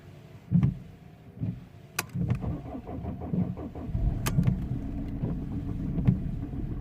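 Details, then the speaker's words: 2007 Mercedes W203 C220 CDI diesel with engine light on, code P2511, not revving above 3000 rpm, started cold after sitting about three weeks: cranking, then uneven stumbling firing settling into a lumpy idle (rough cold start). "be rough but it is cold and he hasn't start for some time"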